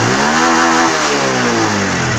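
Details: Honda Wave 110i fuel-injected, previously no-start, after new genuine fuel pump fitted; engine picks up cleanly and settles back with an even, steady note, no misses or stumbles, healthy rev.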